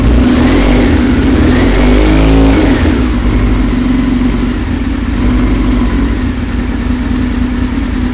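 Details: 1999 Yamaha R6 engine, first start after rebuild with new cases, pistons and transmission: crisp, steady revs that climb and settle cleanly with no knocks or misses; normal revving.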